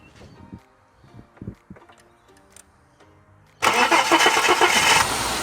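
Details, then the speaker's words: High-kilometre donated project car, sat about three weeks untouched; cold start with a few quiet clicks, catches straight away and settles to an even, quiet idle, starts and runs well despite a couple of minor noises. "what a weapon what a weapon hey cold start nice and quiet yeah look she's got our issues there's a couple of you know noises here and there but starts and runs beautiful"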